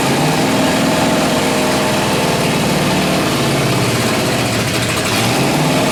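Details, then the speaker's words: Martin rat rod engine with straight open headers, first run in over 20 years, warming up: loud fast lumpy unsteady idle; owner suspects the center carburetor needs rebuilding for a smooth idle. "uh warms up quick sounds all right uh I guess I'm GNA have to rebuild that Center carburetor to try and get a nice smooth idle out of it"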